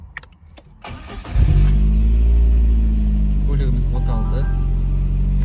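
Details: VAZ 2110 started via newly installed keyless push-start/autostart system with brake pressed: a few clicks, then the engine catches within a second and settles into a steady, even, smooth low idle; normal start.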